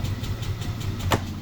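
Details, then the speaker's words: Yamaha Aerox 155 with no check-engine light and no error code: steady rapid starter churning of about eight pulses a second with no catch or firing; cranks but won't start. Spark plug is among the suspected causes. "So ang issue nito sa on natin and then start yan. So mapansin niyo hindi siya nag-start yan."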